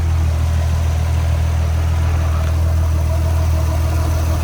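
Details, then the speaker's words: 2000 Nissan R34 Skyline (Bayside Blue) turbo, pre-purchase inspection after cold start, recorded outside at idle without holding revs: deep, steady burble, no sputtering or RPM fluctuation, belts quiet; healthy idle. "yeah there's no sputtering I didn't hold the revs or anything um the engine is quiet"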